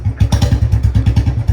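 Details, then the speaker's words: Royal Enfield Bullet 350 cold start after standing two days in rain, starting on the first kick, before a full service; a steady thump-thump of a big single at about eight beats a second, firing cleanly and idling evenly: normal cold start and idle. "तो अब एक बार start करते हैं और देखते हैं कि बारी में हो जाएगी नहीं हो जाएगी। वही भाई एक ही बारी में स्टार्ट हो जाती"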